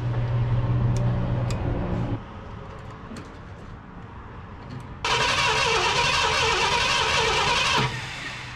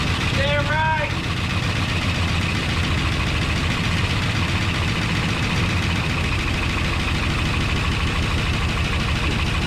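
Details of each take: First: 1972 Ford F-250 Ranger XLT Camper Special being revived: starter cranks the engine evenly at about three and a half beats a second but it never fires; no spark. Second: 1972 Ford F250 Ranger XLT Camper Special, first start after sitting, coil hot-wired: brief starter chirp, engine catches and settles into a steady, even idle with no knocks or misses; pretty quiet, sounds good.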